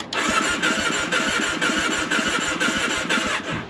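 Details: Adventure motorcycle on Arizona BDR, fuel pump heard priming: brisk, even starter cranking with regular compression pulses but no firing; cranks but won't start.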